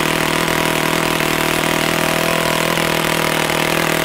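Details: Customer's YS F-120 model four-stroke glow engine on its first run: loud, steady high-speed buzz holding even pitch with no sputtering or surging; runs well, no work needed.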